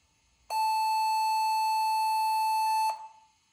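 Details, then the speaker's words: HP Pavilion N5445 laptop (~2001, AMD Duron/Athlon, 128MB PC100 SDRAM) after reassembly: one steady mid-pitched beep of about two and a half seconds at power-on, boots but no display; RAM suspected, cause unconfirmed. "Sounds like it's booting again, but there's no video now. That's a problem."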